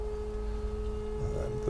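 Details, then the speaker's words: Pipistrel Velis Electro electric aeroplane, battery energizer breaker switched on after avionics: steady, clean mid-pitched hum of the coolant pump with a faint overtone, no rattle or surging; pump running normally before propeller power is applied. "And then the next breaker is the battery energizer. So you'll hear the pump start."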